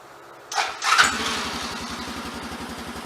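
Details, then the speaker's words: Honda FourTrax 200 Type II ATV that sat about 3 years, jump-started from a truck with the fuel tank reconnected, on an uncleaned new non-OEM Chinese carburetor: brief cranking, then the single catches into an uneven, slightly lumpy idle. "Looky there. Which, y'all know it didn't start that good. I started it up off camera."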